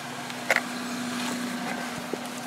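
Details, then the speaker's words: Toyota Celica, warmed up, after new fuel injectors and spark plugs: a steady, even hum at idle and under throttle with no misses or knocks; earlier rough running suspected to be an intake air temperature sensor. Normal running. "so I mean it's running smooth now let me see what happens when I give it some throttle"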